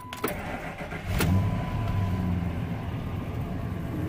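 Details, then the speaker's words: Truck after replacing corroded battery terminals with crimped and soldered tin-plated copper connectors (corrosion had made it labor to start): short quick crank, catches at once and settles into a steady, even idle; healthy start. "okay so now the truck starts right up and you get the keys put them in the ignition and listen to how quick this starts"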